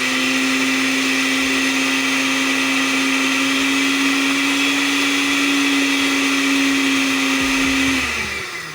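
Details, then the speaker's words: Sako blender (Oster imitation, Oster parts) after repair of no-power fault, reassembled and tested: strong steady high motor whine for about eight seconds, smooth wind-down at switch-off; works perfectly. "Y bueno, ya vemos que el equipo nos funciona perfectamente."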